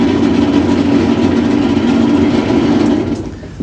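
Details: Maytag washer making a loud, steady growling hum through the spin cycle that dies away as the drum stops; a bearing is suspected.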